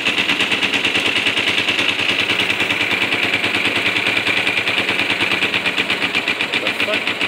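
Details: 2007 Kawasaki Ninja 250 with 2,700 miles, run after sitting a long time, needing a jump start and old fuel replaced with fresh: sharp, fast popping exhaust at idle. Stumbles and never settles while the idle speed is being adjusted.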